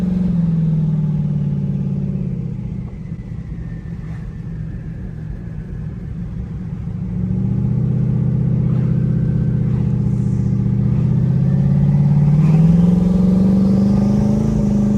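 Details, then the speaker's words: Turbo Mustang on its first drive out, rolling in and out of boost with wastegates cracking open at about 12 psi: engine note falls, then climbs with a rising whistle as boost builds. Clean spool, no flutter or rattle. "i rolled in and out of boost it did great it actually cracked the wastegates open at about 12 pounds there"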